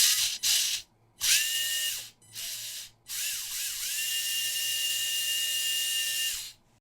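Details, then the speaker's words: WLToys K969 1/28 RC car, small brushed motor sparking brightly, not getting hot, oil from bearings suspected on contacts, before cleaning: high steady whine rising and falling in bursts with rough fizzy edge; brushed motor arcing from dirty, oily contacts. "fries it fries it make the contacts are pretty much just shut that's what's going on here"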